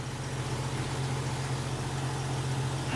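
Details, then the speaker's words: Jeep Cherokee XJ idling just after a new all-aluminum triple-fan radiator replaced a leaking junkyard radiator: smooth, even low idle with no misses or stumbles, and no leaks. It runs normally. "it's funny about that things don't leak when they're not broke little Jeep sure runs good"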